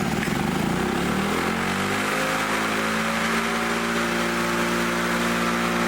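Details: Lawn-Boy two-stroke front mower engine with new plug, points, fuel line, needle and rope, after bending the governor spring to raise RPM: climbs quickly to a high, steady buzz without surging or stumbling; normal running at high speed.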